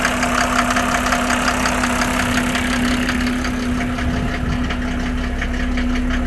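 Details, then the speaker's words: 1987 Mercedes 300SDL W126 OM603 diesel on a cold start, before a diesel purge and with no smoke: hard, fairly steady rattle of about three per second over the rumble; loud injector clatter, likely dirty injectors. "And it starts, this is a cold start, and it starts the first time every time."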